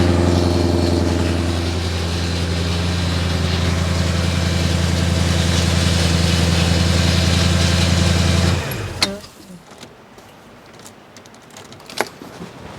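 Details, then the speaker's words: 1998 Porsche 986 Boxster V8 swap warming to 82–90 degrees, thermostat not opening, harsh steady rattle at idle that goes away when revved; owner suspects water pump ran dry from a coolant air pocket. "that noise is really annoying but I said when I rev it up a bit it goes away"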